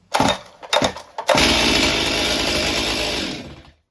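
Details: Stihl MS 261 C-M chainsaw with customer-reported odd starting noises: hollow metallic rattling on three starter pulls, then fires and runs about two seconds; piston ring knock.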